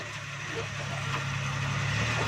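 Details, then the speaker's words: Suzuki Ravi pickup creeping back in reverse after gearbox repair (bearing problem fixed), previously very noisy in reverse: steady low drone with no whine, growl or knock; the noise is gone and the gearbox sounds healthy. "चलो जोर से आओ, बस। देखें दोस्तों, ये आवाज़ ख़त्म हो गई है।"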